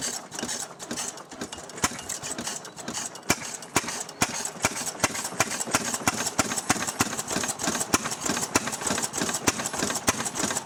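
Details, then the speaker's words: Restored 6hp Fairbanks Morse engine, started on gas and run on kerosene, hand-cranked: crisp metallic clacks a few times a second from the spring-loaded mixer flapper valve over a light chuff; normal running. "you'll hear this little flapper clacking away when the engine's running because it's on a spring"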